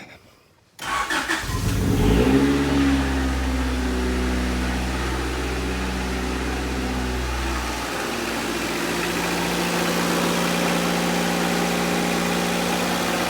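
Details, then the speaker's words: 1990 Honda CRX Si (JDM EF7), first start after fresh oil, new spark plugs, cleaned fuel tank and new filter: revs up smoothly and settles into an even idle with no knocks or ticks; sounds healthy. "we've actually just got the engine running um it's nothing crazy it's not some big b20 build or some k-swap at the moment there are plans for that later i mean it still sounds great when you start it"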